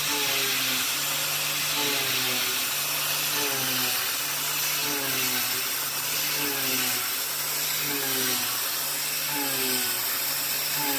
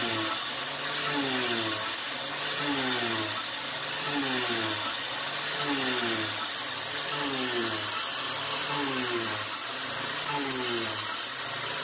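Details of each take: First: YG1 Alu-Power 3/8 in three-flute uncoated endmill with 1 in length of cut, doing adaptive clearing at about 0.070 in width of cut. An even, high cutting hiss over a steady spindle tone with no slowdown or chatter: a clean, normal cut. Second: CNC milling with a 3/8-inch 3-flute YG1 end mill: cutting roar dips and recovers in pitch about every 1.5 seconds as the spindle bogs under load; width of cut too heavy, about 0.080 inch suggested instead.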